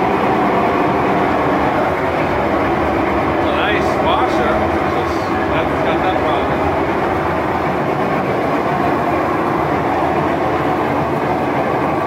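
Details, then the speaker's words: Kenmore Elite Oasis top-load washer, model 11028042701, in spin cycle: loud steady train-like rumbling roar, developed over six months, with water leaking and oil ring under the tub; rough bearing suspected. "Yeah, so that noise, that rough bearing, and then that water coming out right back there in that corner. Those are the things, the symptoms."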